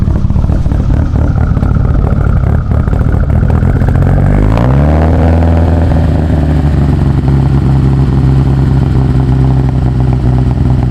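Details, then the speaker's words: Freshly installed 800 whp Mitsubishi Evo 8 engine on first start: steady even idle with a light top-end tick from lifters still filling with oil; oil pressure good, no leaks, sounds healthy. "it's gonna be a little bit noisy hopefully you can hear me the lifters got to fill up with oil obviously you know quiet down but still pressure is good"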